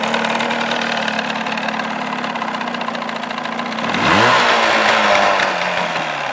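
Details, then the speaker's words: 1979 Evinrude 35hp two-stroke outboard idling without its cover in a filled water tank while warming up, 83.6–96.4 dB: a loud, steady, sharp buzzy idle, then a clean rev around four seconds; runs smooth and healthy. "all right our max like it says is 96.4 our minimum was 83.6"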